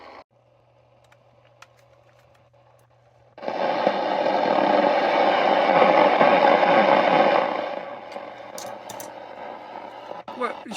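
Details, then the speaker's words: Sony ICF-2001 radio under repair, tuning but with a suspected bad connection to the display (display works only if the case is held just right). Loud static hiss for about four seconds, then fades. Picking up interference noise off the bench. "you can hear, it's sort of working. It's picking out a load of noise off the bench."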